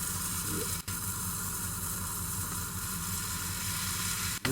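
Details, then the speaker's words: 1972 Plymouth Roadrunner 383 Magnum V8 during cam break-in after 15+ months unrun: steady hiss and sizzle over low engine rumble from an unsealed intake manifold stud; intake manifold stud vacuum leak. "it's got a stud in it but they didn't seal the stud"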